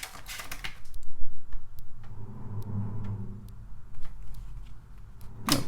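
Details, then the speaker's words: Amiga 600 on Workbench 1.3, with a second disk tried: uneven bursts of dry ticking, roughly four a second, as the head steps back and forth retrying; the floppy drive still gives a read error. "still read error. That's strange."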